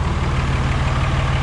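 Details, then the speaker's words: Cummins 5.9 diesel just after head gasket replacement with ARP head studs, first start after bleeding the fuel: deep, steady, even idle with no knocks or misses, no exhaust smoke or leaks, running normally. "She sounds like she's running good. See if there's any smoke coming out of the exhaust."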